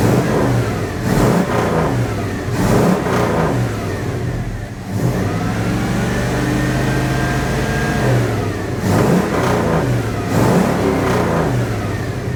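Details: 1980 Dodge W200, Magnum 5.9L V8, Holley 600 cfm carburettor with 66 jets, engine cooled down: repeated revs climb cleanly and fall back smoothly, slight bog at the start. Normal revving.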